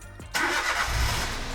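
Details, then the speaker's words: Peugeot 107 first start after a full service and fault repairs: starter whirr, then the engine catches cleanly and settles into a steady, even idle with no knocks or rattles; normal, healthy start. "Yeah, she lives. It works. It runs. It's not making any horrible noises."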